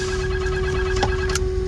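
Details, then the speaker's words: Snap-On truck on a cold snowy morning with weak batteries on jumper cables: a steady mid-pitched continuous buzz, identified as the truck's alarm, though the back batteries have no power to turn it on. "so we've determined it's an alarm because we're getting this sound yeah but it's up here but there's no power to the back batteries to turn it on"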